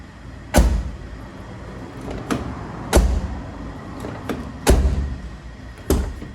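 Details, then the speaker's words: Hyundai HB20 door after a cheap temporary fix, the latch lubricated with WD-40: several single solid thuds, no rattle or second clack; closes better, latch replacement still ideal. "a diferença ficou melhor tá fechando melhor"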